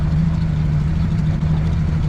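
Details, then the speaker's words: Outboard with drilled exhaust on a Glastron CV16 speed boat, first sea trial: low smooth burble at steady idle, no skips or rattles; idling cleanly, exhaust sound nothing crazy. "The drilled exhaust, it sounds good, but it's nothing crazy."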